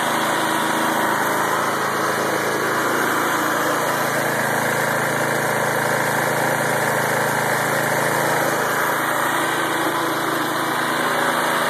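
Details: Lawnmower-engine generator converted from gas to propane, fed through ball valve and hose into carburetor fuel line connector: steady even small-engine drone without misses or surging; normal running on propane.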